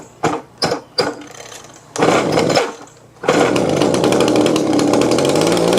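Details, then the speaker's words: Old, battered Echo two-stroke blower after freeing a small hang-up on the carburetor, which had kept it running at high RPM: a few pull-start bursts, then it catches and holds a steady, even buzz. It now runs properly. "All right, that wasn't too bad, was it? Man, that sucker just seems to just go and go and go."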